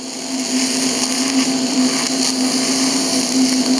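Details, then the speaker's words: TIG welding galvanized mild steel pipe on a side left less cleaned: steady arc buzz under a sizzling hiss with sharp crackling pops as zinc coating burns off, spattering onto the tungsten and risking burn-through. "see how it pops like that this side I didn't clean up as much can even hear it it'll still weld but you got to watch out you get tired of getting that popping onto your tungsten"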